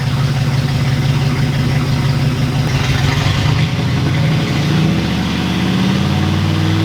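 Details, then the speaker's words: Ford Galaxie V8 after a new distributor installed with timing set by eye at about 8°: deep even burble that climbs smoothly when revved and settles without stumbles or misses; the previous misfire is gone, it now runs perfectly. "That proves it. This thing runs perfectly now. That makes me feel good."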